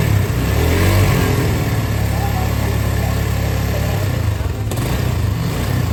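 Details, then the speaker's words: Honda CB150 single-cylinder idling before teardown: loose clattery mechanical rattle over a lumpy beat; oil dripping at the water pump from an aged leaking seal, clutch slipping, oil level dropping. Noisy engine. "dahulu nah Suaranya berisik olinya udah netes ya guys ya di bagian water pump-nya"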